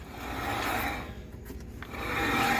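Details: 2004 Buick Rainier with brand-new brakes and brake lines, wheel turned by hand, gives a dry scraping rasp swelling and fading; brake drag, heavy resistance, original wheel bearings suspected.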